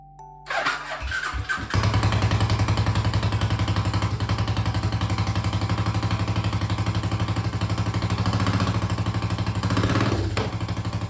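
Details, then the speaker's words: 1995 Suzuki LS650 Savage chopper with a custom straight pipe, first start after cleaning the carb and charging the battery: catches after a few turns, then a very loud, steady thumping single-cylinder idle; runs clean, possibly lean or rich. "engine Springs to life and it's running pretty well but I must admit it's loud as bloody hell"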